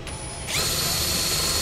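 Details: Cordless drill switched from hammer to drill mode, boring into 5 mm thick material: steady high whir, smooth even cutting, no hammering rattle; normal drilling.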